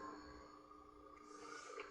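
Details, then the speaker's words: Lemax Ghoulish Gourd, its circuit board damaged by an unregulated power supply above 4.5 V: faint steady hum from the small speaker while the on/off-volume switch is squeezed together, ending in a handling bump. "can you hear the humming I'm squeezing the switch together"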